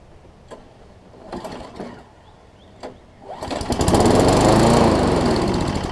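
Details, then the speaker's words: Craftsman Eager 1 self-propelled push mower with Tecumseh single-cylinder engine and air primer, started after a few pulls: rough, uneven running beat; suspected slightly clogged carburetor jet, bowl to be removed for cleaning. "Let me take the bowl off. I think it's just a slightly clogged jet."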